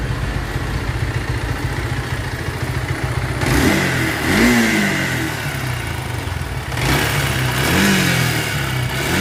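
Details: Bajaj Pulsar AS 150cc engine makes a rough, gritty grinding like a mixer machine, as if rubbing and about to stop, harsher as throttle opens; rubbing noise inside engine when clutch pulled; teardown found a jammed part, clutch assembly needing replacement; worn internals.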